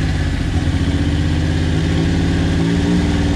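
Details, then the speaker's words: Custom-built Tonka mini monster truck, three-cylinder engine on choke, first start after sitting four to five years: low, lumpy idle with an uneven, stumbling beat; suspected one dead cylinder, the middle one, which soon kicks in and runs on all three. "doesn't sound like it's running all the cylinders to me but i'm gonna say we got one dead cylinder it sounds like to me"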